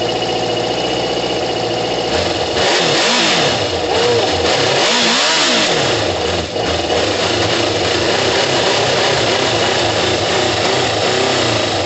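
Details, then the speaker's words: Kawasaki ZL600 four-cylinder motorcycle after new coils, tuned carbs, valve work and plug leads swapped to correct firing order; cold start, coolant hoses unattached, catches cleanly and revs through sharp blips back to steady idle on all cylinders, sounding brutal: normal running and revving. "oh my god guys it sounds brutal don't worry about the um the coolant hoses aren't attached it sounds oh my god it's not even warm guys it sounds brutal"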